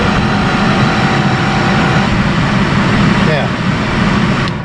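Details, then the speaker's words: 1972 Mercedes-Benz 280 SE 4.5 (W108) AC cabin blower fan: a thin, steady wailing squeal over the fan's rushing air that slides down in pitch as it slows; the motor bearings need cleaning and oiling. "it's a fan motor listen to that wailing sound"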